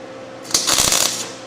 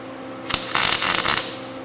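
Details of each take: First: MIG welding tack welds during 1989 Ford refresh: short burst of bright fast crackle like frying bacon; setting close but slightly too hot. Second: MIG welding on a 1989 Ford refresh, setting slightly too hot: short burst of steady sizzling crackle like frying bacon, no loud pops; welder setting close to right, normal weld sound.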